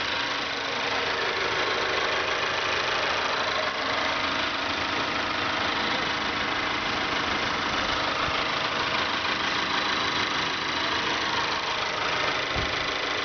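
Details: 2012 Mazda3 GS Skyactiv 2.0 L gasoline direct-injection engine, 16,000 km, idling with a fast, light, even tick about three per second over smooth idle; owner finds it annoying, dealer mechanic says it's normal, cause unconfirmed.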